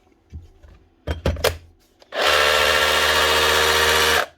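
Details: Dewalt cordless drill after quick clean-out: a few handling knocks, then a steady motor whir for two seconds holding pitch without grinding; normal running.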